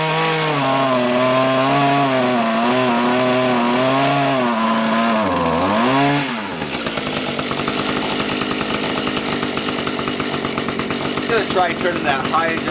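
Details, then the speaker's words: Small two-stroke rototiller engine tilling soil after carburetor cleaning and low/high mixture screw adjustment; steady buzz with pitch sagging and recovering under load, then an even drone, running healthy, much better than before when it would not run. "looks like we did the trick it seems to work okay now much better than it was before which was not working"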